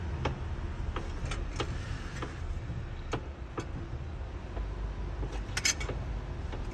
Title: E92 M3 clunking sound when turning wheel